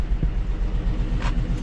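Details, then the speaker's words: GMC Denali with LS engine, auction pickup, started up: deep idle rumble that lurches and stumbles unevenly instead of a smooth beat; misfire at idle. "she looks dead oh [ __ ] not dead it's misfiring y can hear it's"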